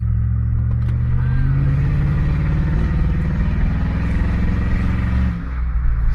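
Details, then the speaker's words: 2001 Chevrolet Suburban V8 running rough with an uneven, lumpy rumble and struggling, check engine light coming on; misfire, ahead of a tune-up with new spark plugs and wires. "see if we get that check engine light [Music] there it is that's all i wanted to show y'all misfire baby hopefully this [ __ ] gets fixed"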